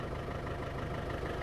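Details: Land Rover Defender 300Tdi diesel just restarted after replacing injector seals for suspected compression and oil/diesel leak: even, steady diesel idle rumble, no misses, knocks or hunting; running cleanly.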